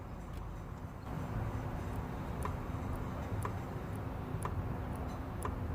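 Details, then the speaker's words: Kia Venga 1.4 CRDI with an intermittent engine light; a scan pointed to an air flow fault. EGR valve activated, with the phone mic facing it. Faint ticks about once a second over a low hum, far softer than expected; the valve works electrically. "i'm gonna try to increase the volume during the clicking but to be fair with you guys you can barely hear it i was definitely expecting a bigger click i would say"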